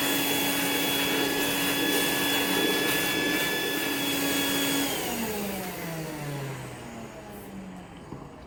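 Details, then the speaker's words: Rainbow E2 Gold two-speed vacuum after rebuild (motor parts washed, lower motor bearing repacked, new HEPA filter, belt, brush roll): smooth steady whine at constant pitch, then even wind-down at switch-off; no bearing rumble, healthy. "wash all the motor parts and repack the lower bearing on the motor so now it's running just like it should it runs perfect"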